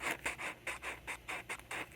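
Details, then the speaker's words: Replacement speaker in a Hallicrafters clock radio held in with a solder roll and electrical tape: scratchy, rasping bursts about five times a second as the voice coil rubs. "field coil rubbing against itself well not the field coil the voice coil"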